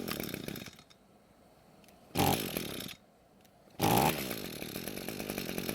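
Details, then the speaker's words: Echo string trimmer after a carburetor and fuel-line rebuild; it had been stored unused for a long time. It starts well, but idle jumps and then sags and stumbles on quick throttle. This lean bog was fixed by turning the top fuel screw half a turn counterclockwise. "engine so it started well but when quickly squeezing the trigger it wanted to bog down and die"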